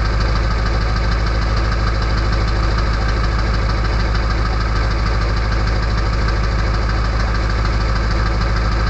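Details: Early 1999 Ford F-250 diesel, cold start at 34°F on high idle with the EBPV closed, which gives a loud whistle: loud, steady diesel clatter, even and unchanging over nine seconds; normal cold-start high idle.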